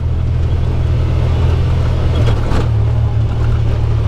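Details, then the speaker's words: UTV on the trail after tightening a loose bolt holding the roll cage to the frame: steady low engine drone with no knocks or clunks; the clunking is gone. "I don't hear that clunking [Music] anymore just a loose bolt"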